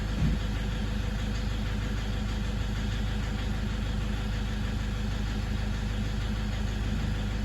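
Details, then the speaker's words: Toyota 1KD-FTV D-4D diesel, injectors replaced about 5 years ago, idling in drive with foot on brake: steady low rumble with a rapid, uneven clatter on top that does not stop in neutral, pointing to injector knock. "okay that's with it sitting in drive with my foot on the brake see that real clattery"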